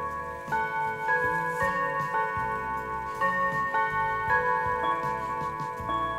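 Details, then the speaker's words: 1950s Junghans mantel clock, W200 movement, four gong rods, tested before repair by spinning the minute hand: clear, evenly rung Westminster melody with rich sustained tones and no buzz or dull notes; healthy chime. "makes beautiful tone on the melody"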